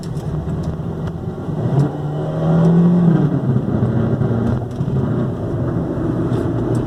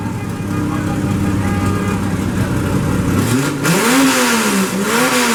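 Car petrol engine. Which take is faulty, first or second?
first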